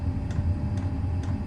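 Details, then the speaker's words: Chinese diesel air heater burning kerosene, glow plug warming 2-3 minutes at startup; light, even ticks about twice a second over a low steady rumble from the fuel dosing pump starting up: normal fuel pump ticking. "and then the little uh Ticky noise you've got in the back there is the the diesel pump as it starts up can be a bit annoying that uh the ticking noise"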